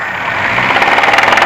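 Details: VAZ 2105 petrol engine after rebuild, belt-driven cam, bored pistons with grooves: sharp regular knock about ten a second starting around 2,000–2,500 rpm, fading higher; heard at head over cylinder 3, disappears with cylinder 3 plug disconnected; cause unknown.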